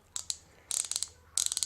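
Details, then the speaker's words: New Harbor Freight Pittsburgh Pro thumbwheel hand ratchet, supplied completely dry with no grease: loud harsh bursts of rapid machine-gun clicking with each swing. Dry ratchet pawl, no lubrication. "but these come dry as a bone nothing in there so a little bit of work these are pretty serviceable"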